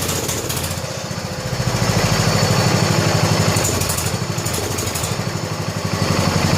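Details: 1970 John Deere 140 H3 garden tractor single-cylinder after head gasket replacement (old gasket leaked severely): steady thump about three beats a second, even loudness, no knocks or misses, quiet, burning off some oil; normal idle.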